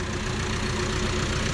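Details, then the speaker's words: Isuzu D-Max 1.9 diesel with boost gauge and new exhaust, all intake hoses still stock, before fitting replacement air pipes and an air flow kit; steady low diesel clatter with an even rhythm. Normal idle. "แต่ผมจะให้ฟังเสียงก่อนนะครับเสียงเป็นยังไงตอนที่ตั้งหลังเปียกมาเป็นยังไงนะครับ"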